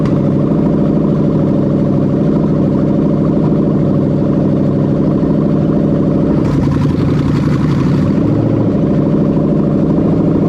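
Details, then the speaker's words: Rebuilt Toyota Crown 3UZ-FE VVT-i V8 with a 6-speed automatic, on a harness test with no exhaust fitted: a loud open-pipe idle with an even, steady beat and one short blip, no misfire or knock, running normally. "now she is very loud obviously she's got no exhaust on her"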